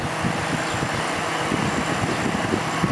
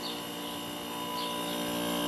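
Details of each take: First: Old Kenmore dehumidifier with Embraco reciprocating compressor, cover off, after freeing the seized fan motor and reassembling with washers on the shaft: even, steady whirring with no knocks, rubs or squeals. Fan motor now runs normally; unit later found low on refrigerant. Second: Curbside vintage Kenmore dehumidifier with Bristol compressor: steady compressor hum with no fan whoosh or airflow, fan motor seized; refrigerant audible, though the unit was later found low on refrigerant.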